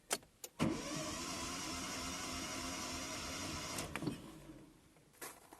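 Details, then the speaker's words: Hyundai Verna 1.5 SOHC with a misfire, cranking: fast, even starter whir with no compression chuffs, as if all plugs were out; cylinder four reads about 58–60 psi, low compression. "شوفوا الضغط 60 تقريبا بي اس اي. شفت الصوت كأن الشمعات كلهن منزوعات، بينما هنا حاطين الجيج مفروض يعطي ضغط."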